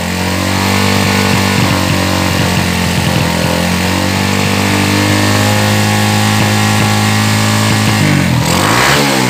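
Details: Yamaha Jupiter Z freshly fitted with new cylinder block, no air filter, not revved hard yet: smooth even four-stroke hum with gentle blips rising cleanly, no knocks or rattles; fresh engine sounds healthy.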